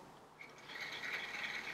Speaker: let's take a look and see if it works so let's turn it on we heard a little tickle